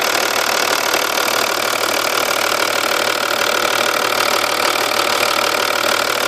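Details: 2.5 V6 TDI diesel at idle, cams previously replaced and like new: fast, even ticking about three or four per second, loudest at the car's sides, from underneath seeming rear passenger side of engine; owner suspected blown exhaust gasket but found nothing; source unknown.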